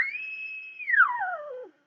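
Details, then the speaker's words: Eddystone EC10 receiver during alignment, BFO knob at 12 o'clock while L17 is adjusted for zero beat: steady high whistle slides smoothly down in pitch and dies out; heterodyne tone from the BFO being off zero beat. "what we do here is we adjust l17 the zero beat so more or less you can't hear a tone at all"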